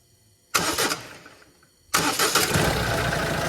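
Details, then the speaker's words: 2014 Citroen Berlingo (Peugeot Partner) 1.6 diesel with a crank-no-start complaint, starter solenoid fed directly from battery positive by remote starter, ignition on: engine spins over steadily at about four pulses a second; starter works, so the fault is in the control circuitry. "Okay, so the starter motor has the ability to work anyway. This is a circuitry fault that we're chasing."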